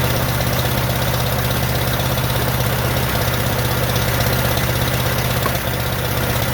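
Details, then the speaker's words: 1947 Farmall M tractor, first start after rebuild: lumpy uneven idle, slow stumbling beat with dropped pulses; running on only two cylinders, popping from carburetor; later found plug wires reversed, fixed. "it's only running on my two cylinders that I cannot figure out there's also a lot of popping coming out of the carburetor if you can see"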